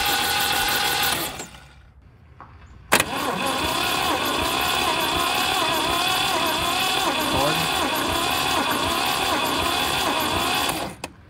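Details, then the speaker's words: 1971 MGB engine after sitting 20 years, cranking on starter: about four beats a second with uneven weak chuffs; owner suspects stuck valves. "has okay compression on some but not on others so if everything sounds good so far but I think we've got some stuck valves"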